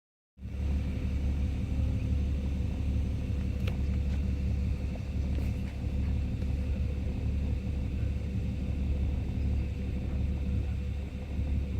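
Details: Ford EL XR6 inline six at idle with an oil pressure problem: deep steady rumble with slight irregular lope and occasional stumbles; rough idle, cause suspected not confirmed.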